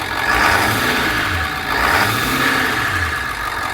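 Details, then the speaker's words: Bus with a newly installed remanufactured engine, no dash warning lights. Engine pulls up smoothly in two light blips and settles back, even and free of knocks or rattles; normal rev. "so right there as you can hear the engine is running there are no lights on on the dash no lights on on the dash that's good"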